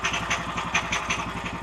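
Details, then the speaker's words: Woodland Mills sawmill small gas engine, idle set too high, before turning idle down: fast light metallic pings about five a second over a brisk idle, centrifugal clutch chattering on power strokes, wearing the clutch. "the centrifugal clutch on the power stroke and it goes ping ping ping ping ping at a frequency I can hardly hear but it wears out the clutch"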